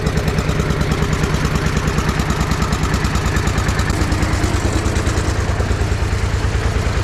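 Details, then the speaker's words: Russian DT-14 tractor single-cylinder diesel, no battery, hand-cranked and started cold after sitting 10 years, following water and oil service: slow, even thumping about three beats a second with no knocks or rattles; healthy idle. "അപ്പോൾ എന്താ വെച്ച് കഴിഞ്ഞാൽ ആ ഒരു Russian എഞ്ചിൻ്റെ ഒരു ക്വാളിറ്റിയാണ് നമ്മളിവിടെ കണ്ടത് കേട്ടോ. കാരണം എന്താണെന്ന് വെച്ച് കഴിഞ്ഞാൽ സിമ്പിളായിട്ട് വണ്ടി സ്റ്റാർട്ടായി."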